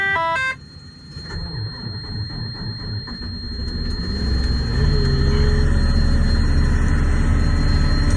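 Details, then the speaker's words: Diesel truck at -37°, plugged in, cold start: a few seconds of cranking, then it catches at once and settles into a steady, even low idle with no misses or knocks. This is a healthy cold start, with some whining afterward. "Well, she started right away. That's a good sign."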